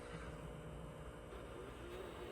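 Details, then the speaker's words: Sealine sports cruiser boat hydraulic trim pump while cycling rams: steady low drone with rough churning undertone, pump labouring on heavy air in the reservoir, moving slowly; bleeding by running fully up and down improves it. "There's so much air in the cistern, you can hear it."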